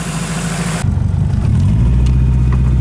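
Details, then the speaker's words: Honda Civic with an eBay turbo kit, first start after installing a Kemso 340lph fuel pump, new injectors and an OBD1 ECU with a base map. It catches briefly, then holds a steady, even low idle with no misses or knocks, so it is running normally. "and there we go it fired right up so that's a perfect yeah the injectors are working everything's going as should that's pretty good"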